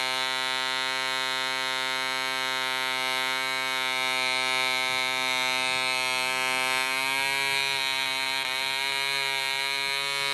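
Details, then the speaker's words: DC Spitfire 1cc model diesel on an 8x4 prop, D2000 fuel: high buzzy drone whose pitch wanders partway through, uneven running as the loose needle valve rotates with vibration and the compression screw winds itself out. "The needle valve was a little bit loose and started rotating with the vibration, and as you could see all through the film, the footage, the compression screw was just winding itself out"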